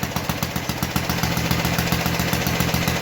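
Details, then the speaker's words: 1952 Clinton VS-700 single-cylinder push mower engine after cleaning points, carburetor and fuel line, throttle turned down: steady, even putter with no misses or knocks; clean normal idle. "I got her to tone down a little bit I have her up a little bit higher I'll turn her down [Music] anyway as you can tell she was pretty good at idle"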